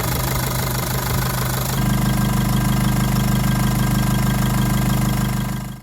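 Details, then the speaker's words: Jeep Liberty CRD diesel after full engine reassembly from the block: steady, even idle clatter with regular beat, no stray knocks or misses; running healthy. "She's purring, man. She's purring. Everything feels real good in here. Everything sounds good."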